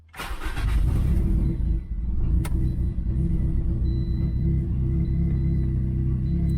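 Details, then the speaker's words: 2010 turbocharged Toyota Corolla after swapping back to a different ECU with a piggyback harness: starts quickly and settles into a steady, even idle. It previously ran super rich and misfired; AFRs are slightly rich while warming up. "All right, definitely running a lot better. Before it was running super rich, and you could just tell it was misfiring because of how much fuel was going in there. So car is idling, looking pretty good."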